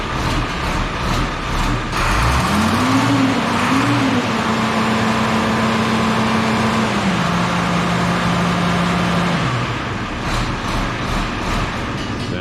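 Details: IH 1026 tractor diesel running after a rebuilt starter, freshly got going after being found in parts; a short rise in revs, then a steady, even run with no knocks or misses; normal running.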